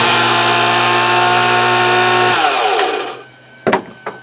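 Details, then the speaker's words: 1 hp electric pool pump motor that had seized from sitting unused, freed by working the impeller by hand and spraying WD-40. It runs with a loud, rough whir from worn bearings, then switches off and spins down. "So the bearings make some noise on it, but we were throwing that pump out down in Florida, so I don't care."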